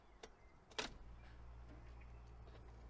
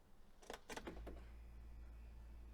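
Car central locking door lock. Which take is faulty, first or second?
second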